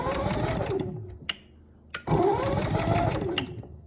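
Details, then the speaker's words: Camper generator with electric start, economy mode, remote and auto choke; rapid whirring crank in two bursts, never catches; won't run because the gas wasn't turned on. "oh yeah it will not turn over if the gas isn't turned on"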